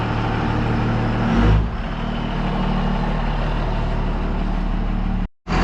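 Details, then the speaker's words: 1966 Loadstar truck idling outdoors before warming up to temperature: steady low idle rumble under a loud, rushing intake roar; owner finds the intake noise unusually loud for idle, cause not confirmed. "The air intake on this thing is super loud. You can hear the engine through it. It's kind of strange. You can hear the intake noise. It's pretty loud just at idle."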